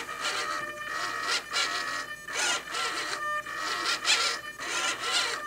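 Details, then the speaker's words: SIG Kadet LT-40 rudder servo bench-tested with radio and receiver: whirring bursts with a steady high squeal as the servo binds near full travel, because part of the servo arm hits the pushrod. "listen for the mind right here that's the servo binding and what you see is is that this part of that arm is hitting the rod right there"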